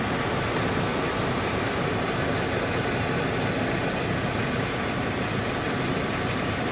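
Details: 1998 Chevrolet K2500 GMT400 truck after alternator replacement for noise and flickering battery light: smooth, steady idle with no ticks, knocks or whine; healthy normal idle.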